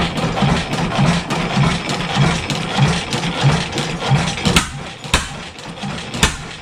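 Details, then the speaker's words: 7HP Stickney stationary engine started after decades of sitting: slow single-cylinder thumps, about ninety a minute, each with a light extra knock in the connecting rod; owner expects a shim must be pulled from the rod bearing. "you can hear it just making a little bit of knocking in the rod so I wouldn't be surprised if we got to pull a shim"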